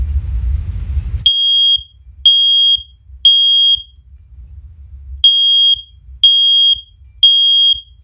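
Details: Ace Hardware OneLink hardwired smoke alarm in a First Alert collection, test button pressed: loud piercing high beeps in threes, about one per second with pauses, echoing; test tone normal, alarm working.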